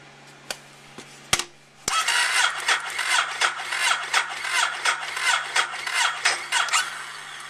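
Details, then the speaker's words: Ducati 1098 first start after installing a new battery. A few clicks, then the starter turns and the engine catches after about two seconds with an uneven pulse; cranking is a bit weak, probably because the battery had discharged over time. "Started up a little weak, but probably had just discharge over time."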